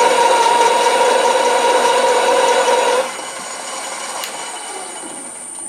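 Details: Drill press fitted with a home-built pull gear planetary speed reducer (about 4:1) in low-speed mode: steady scraping cut with a faint even chatter for three seconds, then it eases off. The bit cuts cleanly with good torque.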